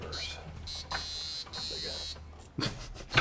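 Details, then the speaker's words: Ford Mustang Mach 1 seat belt safety interlock, added by the owner to match the factory setup: a shrill, steady buzz in repeated bursts with short gaps. The warning is working normally. "my gosh I hate that thing I put the safety interlock on it back in the day yeah cuz I wanted it to be like it was and it was a pain in the butt from the factory"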